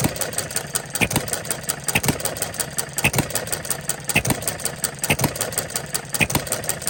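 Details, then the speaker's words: Coles engine running on regular gasoline with ignition timing set late, about 6 to 8 degrees after top dead center; slow, even firing near once a second with a sharp pop each cycle and no knock, whereas at top dead center it seemed to knock slightly. "have it set at about 6 to 8 degrees after top dead center right now, and I'm sure I could get closer to top dead center with it. I did have it at top dead center, but it sounded like it was knocking a"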